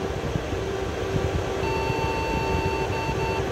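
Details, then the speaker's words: Desktop PC before repair, power light on and yellow light blinking, no display: over steady fan hum, one long high beep of about two seconds at power-on. Suspected memory fault from carbon on the RAM contacts. "एक beep दे रहा है तो अभी देखते है इसके अंदर problem क्या आ रहा है बेसिकली होता क्या है कि बाज बीप इस व से आ रही होती है हमारी रम के अंदर को प्रॉब्लम हो रहा हो"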